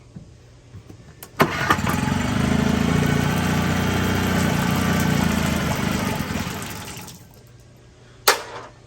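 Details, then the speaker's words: Cold-blooded outboard, warm weather, idle raised: after sitting a while it catches, runs rough and uneven about five seconds, then dies; hard starting and stalls after start. "it was running yesterday last night but if it sits for a little while that's what it does you'll just repeat that you start it up and run for a second and we'll stop"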